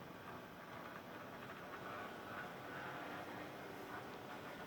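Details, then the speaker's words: Mehano SNCF 70000 OO gauge locomotive after service: a faint, uneven, scratchy buzzing whirr as it runs. The motor itself is rough and noisy; worm-drive meshing was ruled out, and full disassembly and cleaning didn't fix it. "so you can hear it's not very smooth it's a noisy motor i've had this apart three or four times"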